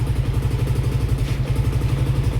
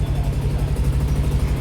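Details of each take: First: Yamaha Aerox 62mm scooter after a lower-end noise repair with a new crankshaft, battery at 12.22V: even, steady, quiet idle with no bottom-end knock. The exhaust header leaks, so it needs slight throttle. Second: Yamaha Aerox with 62 mm bore, engine rebuilt elsewhere, new crankshaft, weak battery: fast sharp puffing tick on each firing pulse at idle; leaking exhaust header joint, needs slight throttle.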